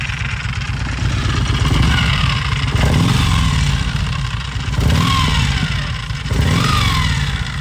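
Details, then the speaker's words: Harley-Davidson Road Glide V-twin running: harsh clattering rattle rising with engine rpm, traced to the primary drive; exact cause not yet found, starter parts among suspects. "Alright, so we've narrowed down the fact that the noise comes with engine RPM and it's coming from somewhere within the primaries."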